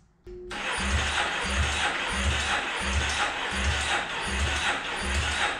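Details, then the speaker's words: 2008 Yamaha Raptor 350 ATV, carb issues history, spark present, starting fluid added, solenoid jumped; starter turns it over in even whirring pulses without firing; compression later tests only 60 PSI, worn top end. "All right, I don't think she wants to go. Should we try a compression test?"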